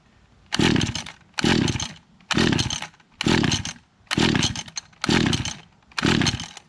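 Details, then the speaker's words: Echo GT-200R two-stroke weed trimmer on ethanol-free fuel, magneto replaced, first start after six months, choke position uncertain; seven rough bursts about a second each, dropping away between them, never settling; surging and cutting out, cause unconfirmed. "so let's see if it starts that's not good it's on choke maybe it's up maybe it's"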